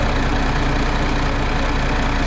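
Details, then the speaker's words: MAN TGX diesel after thawing a frozen air compressor: steady even idle with smooth low rumble, knocking gone when revved slightly, compressor pumping air again; the knock was the frozen compressor, not injectors or engine. "а ну газни немного о и ничего не стучит у нас оказывается и воздух закачал"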